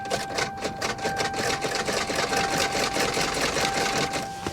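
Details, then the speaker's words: Salvage auction car with corroded battery terminals, ground moved around: quick uneven clicking about twice a second over thin whine, good strong starter click but no cranking; suspected terminal, starter or locked-up engine. Starter clicking, no start. "I have moved my ground around as much as possible. It seems like it's getting a good strong click from the starter."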